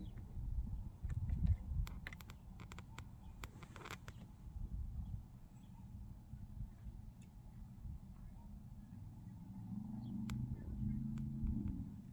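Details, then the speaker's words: 2024 Toyota Corolla LE 2.0L 4-cylinder at 50,000 miles, started just after an oil change (oil changed every 10,000 miles), checking sound and leaks: quiet, even low rumble with no knocks or ticks; normal idle. "Now let's go ahead and start the engine, and we'll listen for the way the car sounds. Make sure it sounds normal, and then we're also looking for leaks."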